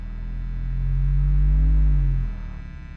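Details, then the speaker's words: 1972 Twin Reverb tube amp driven at volume with a low-frequency sweep. A deep, clean hum swells and fades, reproducing 30 Hz with no rattle or buzz: normal low-frequency reproduction. "htz I could literally hear actually I could hear 20 I could hear down to 20 HZ on this guy"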